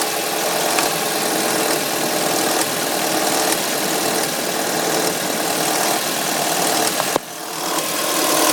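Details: 2005 Audi A3 2.0 FSI at cold start: a loud, rough clattery rattle for about three minutes, then it settles to a normal injector sound. Owner suspects the tensioner, unconfirmed. Loud cold-start engine noise.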